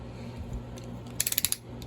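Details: During STIHL MS291 chainsaw reassembly, a quick burst of about six sharp, evenly spaced clicks over a quiet background: the screw gun's clutch slipping as designed, not an impact driver and nothing wrong.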